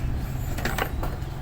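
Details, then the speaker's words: Hatari 16-inch fan with weak power: switch clicks and steady mains hum but the blades do not spin up, stalled motor; the 1.5 µF capacitor is checked and the shaft bushing is removed, pointing to a weak capacitor and seized bushing. "จะติดนะครับแต่ไม่ติดโอเคไม่หมุนนะครับ"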